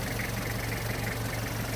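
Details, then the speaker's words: 1994 Toyota Hiace LH112 van, 2L diesel: even low diesel clatter at steady idle, no misses or stumbling; starts easily, no white smoke, no oil seepage, normal temperature; healthy idle. "อันนี้เครื่องดี2lนะครับติดง่ายไม่ไอเครื่องไม่เยิ้มนะครับความร้อนปกตินะครับ"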